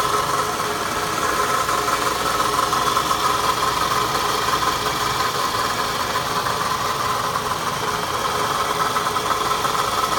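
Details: Foreign noise at idle: faint fast metallic ticking over steady idle; owner suspects timing chain, chain tensioner or chain guide, unconfirmed.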